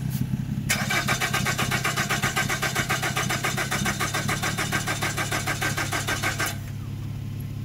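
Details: 2013 Nissan Rogue, push-button start: about six seconds of steady cranking, roughly 3.5 strokes per second, engine never catches. Crank no start; scanner can't read the ECM (not communicating). Owner unsure, guessed oil or camshaft.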